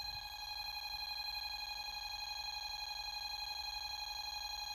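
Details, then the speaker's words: Bosch GV2 alarm panel with carbon monoxide zone tripped: continuous high beep holding one pitch, no pulsing; solid steady tone is the carbon monoxide alarm signal. "So, let's go ahead and trip uh 0.2 which is carbon monoxide. So, go and Yeah, it's just solid for"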